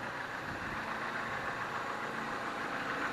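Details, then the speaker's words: 2008 Dodge Avenger after oil pan gasket replacement and topping up oil: engine settles to smooth even idle with steady hum, earlier noise gone. "now it's starting to get a little bit better see now starting to idle down it's not making that [ __ ] noise"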